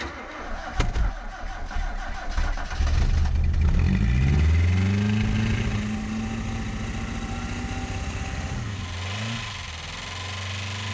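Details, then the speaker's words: 1990 Ford Festiva, stock engine, sat unused over a year, cold start at minus 20 °C: cranks, weird backfire, rough rev, then idle with quick light ticking from noisy hydraulic valve lifters until they quiet down. "once those noisy valve adjusters calmed down we confirmed the car could move and stop"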